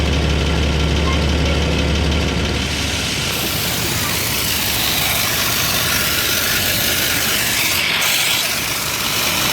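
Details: Idling engine exhaust leak: loud airy hiss with soft puffing about four times a second, from the muffler and just before the catalytic converter.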